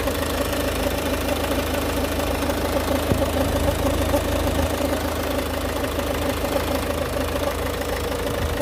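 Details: Ford Focus MK2 1.6 TDCi 109 hp diesel at steady idle: even low hum with a faint continuous rubbing, grinding undertone from the left engine mount area, sometimes going away; drives normally; owner suspects high-pressure pump or water pump; timing belt kit changed 95,000 km ago.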